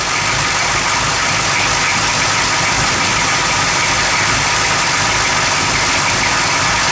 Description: rough idle at motor